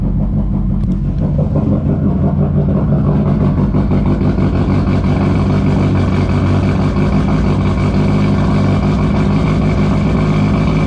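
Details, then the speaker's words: Mazdaspeed 3 with a methanol injection nozzle/check valve leaking meth into the throttle body, before fitting a cutoff solenoid: loud, lumpy, choppy idle at startup that smooths once the meth burns off; fuel-system-too-rich and random misfire codes. "so it sounds like a rotary when it first starts up but once it burns off that bit of meth then it's fine but you can see i'm getting an engine code for running too rich fuel bank rich"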